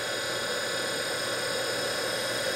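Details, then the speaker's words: DC motor removed from an electric conversion, bench-run on a 12 V battery at about 3,000 rpm: steady high-speed whir with internal fan air rush, no knocks, rubs or roughness; healthy motor. "so that's what she sounds like it's probably 3,000 RPMs for getting close to it sounds real good"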